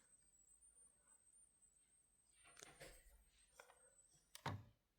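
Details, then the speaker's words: Raycon Everyday Earbuds case on a wireless charger: thin, steady high-pitched screeching squeal with a few thumps. It is coil whine from a faulty unit that rarely charged wirelessly; the replacement pair charged fine. "When I did for once somehow manage to get it charging wirelessly, it started making some weird noises, and I wasn't going to go with sleep with those next to me on my bedside table. Not sure if you guys can hear that, but do you hear that screeching noise?"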